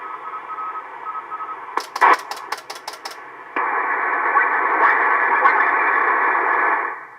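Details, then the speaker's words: Estate-sale Icom IC-720A HF transceiver, first power-up before restoration, no power output on one band: on 40 meters band noise, signal bursts and keying ticks, then steady hiss of received stations; receiver working. "well looks like 40 meters actually we're hearing something so that's a good sign"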